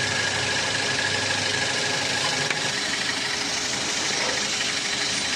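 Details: 2010 Toyota Avanza, noise from engine front at idle: rough, uneven knocking rattle about three beats a second; failed rubber damper lets the crankshaft pulley wobble and rub the CKP sensor housing.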